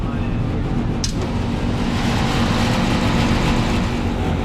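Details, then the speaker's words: Johnson Controls packaged water source heat pump, call for a lot of noise, fan running with the panel open; loud, steady fan roar with a coarse, irregular buzzing rattle that goes quieter when the loose blower housing is pushed on. "think's making a lot of noise look when I push on it it's a lot quieter watch me watch me let go all right something's definitely up"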